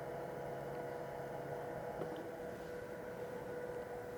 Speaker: now we're going into the brewing so I'm going to watch that scale intently and I'm going to press stop that same button when the scale reads about 35 grams